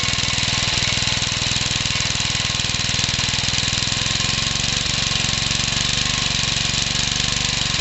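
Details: Home-built Suffolk engine combined with 1950s parts, first run after carburettor cleaning; runs fast and steady with a hard regular knock every firing stroke, big end knock as expected, not very smoky.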